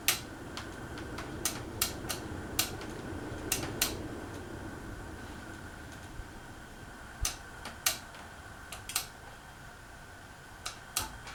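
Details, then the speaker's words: 2001 Casablanca Panama 2 ceiling fan on speed 1 without blades: sharp irregular clicks every half to one second over quiet hum, ticking coming from the canopy. "So that's just that noise is like coming from the canopy."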